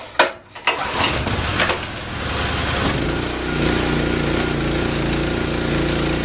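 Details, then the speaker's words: Honda snowblower, about 10 years old, after carburetor fix for surging and full-throttle-only running: a few rough catches, then steady, even run with no surging; normal running restored. "so you can see it's back to running normal now which is the first time it's done that forever and it really came down to a very simple issue with the carburetor"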